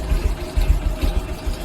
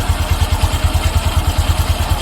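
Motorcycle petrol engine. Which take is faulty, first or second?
first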